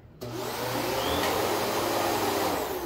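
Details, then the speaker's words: New Kenmore vacuum running on low, likely moving to medium, on carpet: steady even suction roar with smooth airy whoosh, no rattles or pitch wobble, better airflow than the old one; normal running. "did you hear that that sounds better and more airflow"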